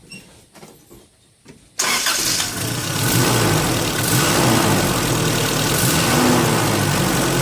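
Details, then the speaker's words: Engine running smoothly after a MAF sensor cleaning caused problems and throttle body work followed (throttle body spray, degreaser into intake pipes); even run with a light turbine-like hiss of air through intake and exhaust, sounding healthy. "having done that work the engine does have sort of described as a turbine type of sound and that's the sound of the air coming in and the and throughout the engine and out the exhaust"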